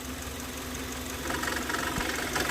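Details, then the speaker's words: Kia Sorento idling, water poured on the accessory belts: a harsh squealing hiss rises as the wet serpentine belt slips; wrong-length belt fitted. Complaint is noise and a battery light whenever driven in rain or with a wet engine. "mas só quando a gente pega água e dá para o carro beber né Vamos jogar água aqui em cima das Correias"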